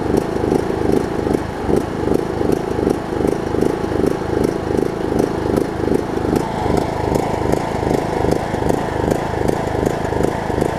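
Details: John Deere LA105 riding mower engine, sat about three years, cold near 40°F after cleaning water-contaminated tank and carb, pulsing in and out roughly every 0.4 seconds; hunting and surging, owner suspects leftover tank gunk.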